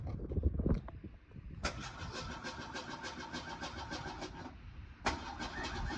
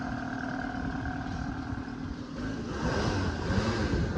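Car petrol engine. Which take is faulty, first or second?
first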